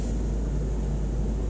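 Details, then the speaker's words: Dodge 3500 van RV dash AC blower after it had blown no air. On low speed there is a steady, even hum with a little air and no rattle or squeal, whereas earlier it was noisy on the lower speeds. "Feel a little bit of air. No noise this time."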